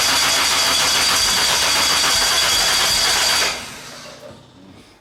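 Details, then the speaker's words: Classic Mini 1.3 track car after roller rocker replacement and correcting plug lead firing order that caused backfires: crisp, even rev held a few seconds then dies away cleanly, no ticking or misfire; normal running. "good give it a bite that's good sounds good"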